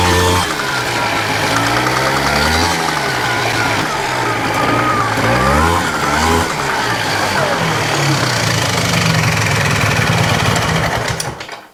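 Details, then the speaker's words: 1993 Polaris Sportsman single after water pump seal and counterbalance shaft repair: pulls cleanly through repeated throttle blips and settles back without misfire or hesitation; running well, transmission still clunks but quieter. "That's what I'm talking about. Runs pretty good."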